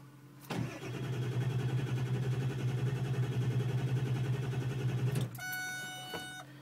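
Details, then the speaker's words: Ford diesel truck, parked a day, block heater plugged in overnight, glow plugs cycled: starter churns steadily about 160 beats a minute near five seconds without catching, dash chimes; crank no start. "now I'm cranking it just died starting again won't start"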